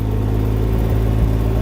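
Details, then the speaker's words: Can-Am Ryker 900 three-wheeler moving off gently in forward gear with light throttle in a parking lot. Smooth, even low rumble with a steady engine note at low speed; normal running. "see we're not going fast we're just going slow since we're in the parking lot"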